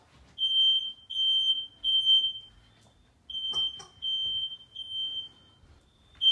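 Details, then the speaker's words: Smoke alarms in a new house tested with smoke during a life safety inspection: faint high beeps in bursts of three in a quiet room. Alarms detect smoke but sound weakly; only the downstairs one sounds properly, so they will be replaced. "I don't know if you can hear that but they're trying to make noise they just don't"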